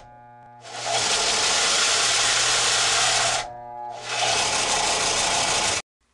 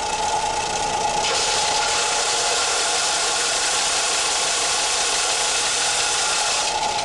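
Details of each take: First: Harbor Freight Central Machinery 4x36 belt and 6-inch disc sander, 3/4 hp motor: the steady sanding roar sags and stalls when pressure is applied, then recovers. The reported fix is loosening the four motor mount bolts and sliding the motor back. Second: Harbor Freight Central Machinery 4x36 belt/6-inch disc sander, 3/4 hp motor, after repositioning the motor on its mounts to cure stalling: steady motor roar and constant whine holding pitch under heavy pressure, no bogging or stalling.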